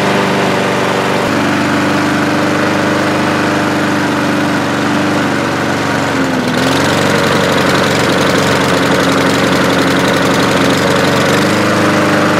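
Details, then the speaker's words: Walk-behind lawnmower back a month after service with an air filter fouled by oil after being tipped over: a strong, steady high-speed drone with even pitch. No surging or hunting; it runs properly. "so let me start it up here guys and you're going to see that it will run perfectly"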